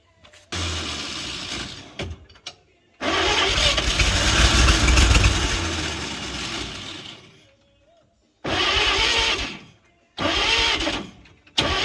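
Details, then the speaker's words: 1938 Chevrolet Master Deluxe, sitting since the 1970s, first revival attempt: several long cranking bursts with a sluggish, uneven churn that never catches, a slow crank and no start; owners suspect low compression and a weak starter. "'re fighting here is some pretty low compression and a quite a weak starter unfortunately"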